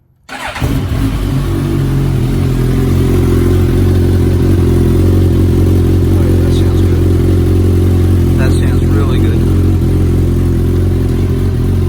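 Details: 2019 Suzuki Katana 1000 indoors with an M4 muffler and its restrictor baffle removed: the engine catches quickly and settles into a deep, loud, steady drone with a throaty exhaust note. Runs clean with the open exhaust.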